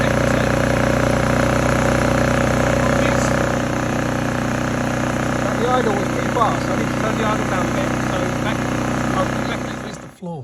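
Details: Honda EU2000i generator after carburetor cleaning and reassembly for rough idle and poor starting; the idle jet cannot be reached: steady hum at idle but slightly uneven and hunting, idle circuit likely still partly clogged.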